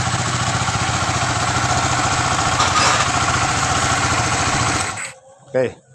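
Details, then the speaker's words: Honda Sonic 150 single-cylinder after a top-end rebuild fixing a noisy top end and badly set valve clearances, with a custom crank balancer: a steady, even beat with no ticking, oil flowing well, then a clean shut-off; healthy. "Ini untuk mesinnya udah halus ya, sudah halus semua. Suaranya ini udah adem, terus olinya juga udah kencang."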